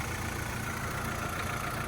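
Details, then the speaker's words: Fire-damaged VW Caddy truck (ABA swap build) idling after a heat-warped shield rubbing the timing belt was bent back; even, steady idle with a faint light whine and no rubbing; normal idle, running good. "She's running good. She's ready to run 10s. Just kidding. It's slow."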